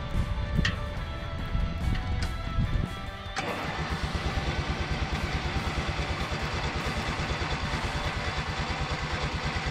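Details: Briggs and Stratton opposed-twin lawn mower engine, cold start at 34°F after replacing a starter with a shredded bendix gear: brief crank, catches quickly, settles into a steady, even putter; starts cleanly.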